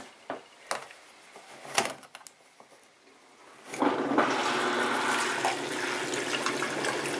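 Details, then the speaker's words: Panda B45 portable twin-tub washing machine (10 lb capacity), about a week old: a few knocks and clicks, then steady rush of wash water pouring out the drain hose fitted with a pantyhose lint catcher. Normal draining. "there it goes and that'll get all of the wash water out of there"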